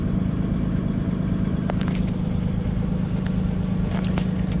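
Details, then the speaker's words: 2020 Freightliner M2 diesel in neutral, parking brake on, during scan-tool forced DPF regen with dosing and Jake brake building heat: steady rumble, even low drone, fast idle about 1050 rpm, normal for regen. "and it uh will fast idle about 1050 RPMs that is perfectly normal that is required for the regen process"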